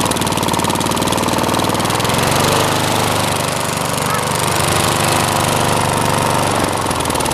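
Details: Small mower, previously out of gas and disconnected, just primed and started: single-cylinder engine running steady and even at a fast clatter with no misses, stumbles or knocks, healthy.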